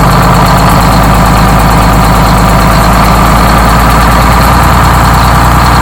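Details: Freshly rebuilt Detroit Diesel 6-71 two-stroke in GM bus 3751, first start: loud, steady rattle settling into an even idle with no miss or knock; sounds like a healthy fresh rebuild.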